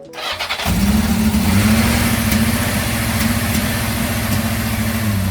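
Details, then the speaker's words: 1991 Yamaha XJ600 at 48,000 on the clock, cold start on jump leads from a battery: brief crank, catches first time and settles into an even, steady idle with no misses; normal cold start. "listen to that a refin sound that sounds good good doesn't it yeah I don't know much about engines but that sounds to me like a healthy engine"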